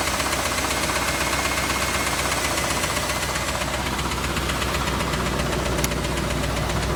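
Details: Chevrolet Camaro IROC engine at idle, mic moved around the engine bay: fast fairly regular ticking about four per second with a harder clack underneath; knock of unknown origin; glittery oil previously seen.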